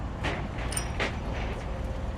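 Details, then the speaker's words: Cummins diesel truck that shredded its belt the day after another shop replaced the power steering pump: low steady rumble with loose, uneven rattling bursts from the engine bay. "I can hear it rattling. Apparently, the shop replaced the power steering pump."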